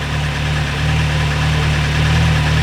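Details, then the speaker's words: MV Agusta 1090R that previously bogged down and died randomly (suspected fuel delivery). Steady, even idle with a smooth low rumble, no stumbles or dips. Much better than before; normal idle. "That feels a lot better than what it was before. As long as the bike doesn't die, I think we're good."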